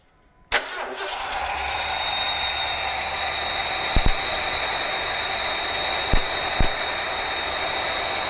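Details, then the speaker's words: Ford F-150 V8 running rough: ground-out test with test light finds cylinders seven and eight misfiring; a V8 cranks, catches and idles unevenly, missing on two cylinders, checking fuel, fire, compression. "we actually have two cylinders misfiring so we're going to find find out which two cylinders it is and make sure we have uh Fuel and fire to them"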